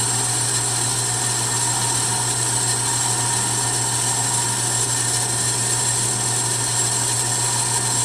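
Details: A ½ HP three-phase motor on a VFD runs at full speed (60 Hz) in reverse on a test run. It gives a steady, smooth hum with a faint high whine and no knocks or rubbing over a furnace roar. The owner notes a little noise, but it runs smooth and healthy.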